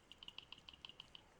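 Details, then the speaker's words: Mini heater's original fan gives light, dry, uneven ticks several times a second as it spins, probably the cause of the heater's rattle at high speed. "So I think when this is under high speed in the machine, that's what you're hearing."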